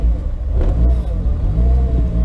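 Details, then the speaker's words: VW Corrado on first startup in years (build begun 2014), no tach, owner hoping the thermostat works: cold engine hunts and stumbles, needing throttle blips to stay running, and won't settle; it won't idle or drive but starts. Rough idle, stalls cold, cause unknown. "sounds like not so great. God damn. Does not want to idle or drive. Starts though."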